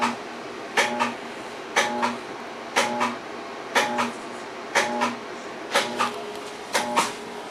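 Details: Armstrong FM-20000T2 three-phase blower after tube replacement, idle for 3 weeks, all phases present within 1V: a sharp clack about once a second, each followed by a short dying hum. Repeated failed start attempts that eventually trip the blower breaker.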